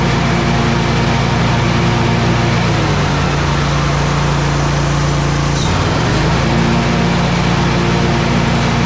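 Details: Exmark 52" Pioneer S zero-turn mower, Kohler KT720 twin, after repairing a faulty ignition coil (cylinder showed spark but would not fire) that caused rough running, popping and bogging: strong, even roar that dips with throttle and recovers cleanly, no popping or misfire.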